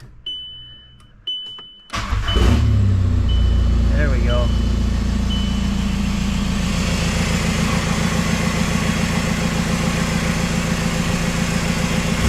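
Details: VW Jetta TDI diesel starting after its ECU was refitted and a new tune loaded: dash chimes, quick crank, then an even, steady diesel clatter at idle; normal idle.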